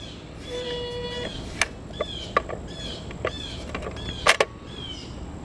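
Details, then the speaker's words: Crosley Stack-O-Matic record changer cycling: short rising squeaks with light mechanical clicks where the arm elevator lifts and the tone arm rubs a post returning to rest; tone arm rubbing squeak, likely lack of factory lubrication. "it sounds like it's coming from right here where the arm elevator lifts up and then the tone arm rubs on this piece here as it's moving back to the rest"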